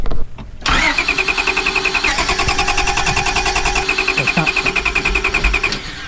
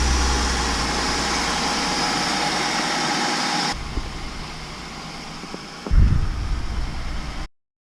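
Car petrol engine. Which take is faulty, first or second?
first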